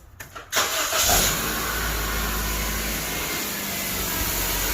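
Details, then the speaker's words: 2006 Honda Civic first startup after replacing the PCV valve and intake manifold gasket, cowl not yet refitted; short crank, quick catch, then a smooth steady idle without misses or knocks: normal start and idle. "just what I expected. Nice and smooth. No issues."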